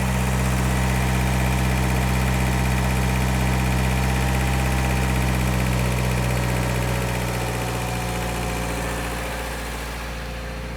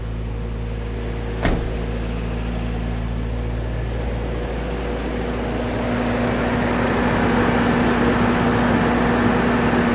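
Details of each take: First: Toyota 4Runner after valve adjustment, engine seems quieter; steady even drone with fast smooth pulse, no knocking, revs still sitting high; high idle, owner plans to turn it down and set properly later. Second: Toyota 4Runner engine after valve adjustment, brief run; after a click settles to a steady even hum with no valve ticking, much quieter, though idle still noticeably high.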